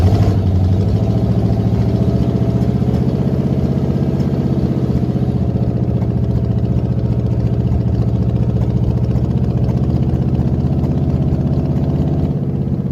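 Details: 1979 Jeep J20 AMC engine with dual exhaust, low compression, running from a refilled quart can: low, ragged idle with a stumbling, uneven chuff, weak cylinders making it run like crap.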